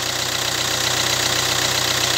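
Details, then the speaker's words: Hyundai Accent Blue cold start at about -4 to -5 °C: fast even ticking chatter and hiss at idle; owner concludes it is accessory belt noise, not the timing chain, and plans belt replacement at 150,000 km. "şimdi arabay çalışır çalıştırmaz şurada bir Kay sesi duydum Hemen dedim video yapayım bu kayesi ile ilgili"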